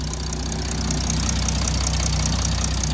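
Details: Jeep Grand Cherokee WH 3.0 CRD diesel after the starter motor was replaced. Starts and holds a steady, even diesel clatter at idle with no misses, surging or starter grind; normal idle.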